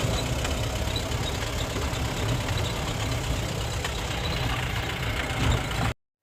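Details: Mahindra Bolero Pickup BS4 diesel with intermittent no-start, codes B2F44-00, P0193, P1405, B2F45-00, U1517-00, no check or immobilizer light: idles roughly about six seconds then cuts out abruptly; stalls.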